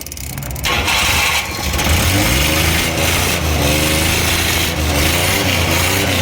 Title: Multicab 12valves hard start